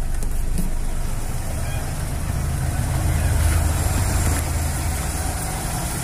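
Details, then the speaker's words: Kancil 850 manual, carbureted, idling at set 1000 rpm before distributor timing-light check, vacuum lines disconnected; steady even low idle, no misses, knocks or hunting; normal idle. "Okey, bila kita dah start enjin, pastikan RPM kita berada di 1000. Okey, pastikan RPM kita berada di 1000. Sekarang macam sekarang ni dah 1000, dah cantik dah tu."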